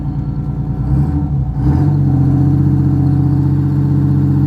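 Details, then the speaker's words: Marine diesel boat engine starting at the helm: catches and settles into a steady, deep hum with an even beat and no knocking; healthy normal running. "Hear that sucker humming? Yeah. Oh, yeah, baby."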